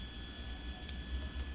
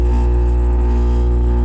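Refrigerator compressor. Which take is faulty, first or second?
second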